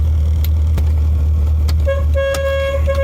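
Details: 1987 Chevy Corvette C4, engine running: repeated short honks on one thin high note with no lower tone, only one horn working; the low-note horn is dead.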